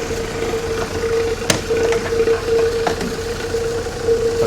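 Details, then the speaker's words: 1966 Jeep CJ5 started off a jump box with a nearly dead battery, after its original coil problem: idle with a steady mid-pitched whine and scattered sharp clicks. Source unknown; the owner suspects the water pump. "Never figured out what this noise is. I think it's the water pump, but it's really hard to say."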